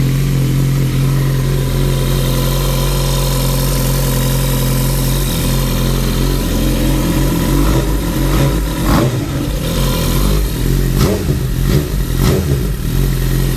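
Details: Suzuki GSX-R 1000 K9 after engine block replacement: even idle for several seconds, then a few clean throttle blips rising and falling smoothly; runs healthy.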